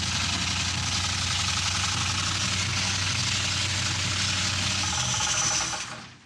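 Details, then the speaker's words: 1970 Buick GS big-block, newly reassembled after decades stored, running while warming up: loud engine with fast metallic rattle about four per second over the exhaust; something knocking, bottom end ruled out, oil pressure checked, cause not found. "What the hell is that rattling noise? I don't know, but I'm hearing that and I'm not loving it."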